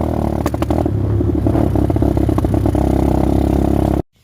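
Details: X-PRO dirt bike warming up after starting: uneven, stuttering exhaust with irregular popping and dropped beats instead of a steady putter; misfire caused by the ignition coil left ungrounded after reinstallation, not an idle air screw issue.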